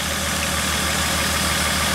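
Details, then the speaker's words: 2003 Honda Odyssey, misfire returned after an earlier injector replacement, before coil drop test: uneven idle with a stumbling lope in the exhaust beat, one cylinder not firing; misfire. "so let's start it up see how it runs see if it has a misfire right now oh yeah definitely cuts it miss classic"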